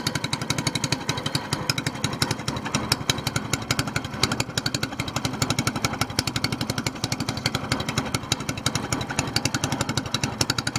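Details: SPS Longtail mud motor, freshly built, running just after its first oil change following a 3-hour break-in, with 10w-30 Royal Purple synthetic plus BestLine. The single cylinder gives a fast, steady popping beat with no knocks or misses; it sounds healthy and even.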